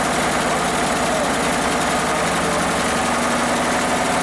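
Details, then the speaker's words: Free Toro ride-on mower started on a booster pack: small engine runs rough and uneven, then dies as throttle drops; fuel tank sat too low to fill the float bowl, starving it of fuel. "i so wow there you go it works sort of as soon as i tried to uh drop the power back down it it died"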